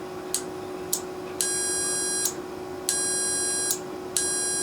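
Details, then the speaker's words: Relay from a Carrier furnace control board HK42FZ011, whose relays burnt out from overheating caused by a clogged filter: multimeter continuity beep cuts in and out after tapping; stuck internal contact, intermittent connection, relay needs replacing. "now it beeps so it's it was stuck on the inside and when I did that it actually broke it loose up there it's not doing it now it's doing it so there's definitely something broke on the inside it's not getting a good contact"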